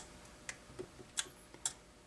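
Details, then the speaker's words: 27/29-inch Makvision 3129 arcade monitor, dead out of the box: sharp, irregular relay clicks. After a bad solder joint was disturbed it came alive and is trying to energize the horizontal output transistor, reading about 70 V; the cause is not confirmed. "there's a relay clicking now it's alive hear it we got a bad solder joint but now it's clicking and it's trying to energize our hot"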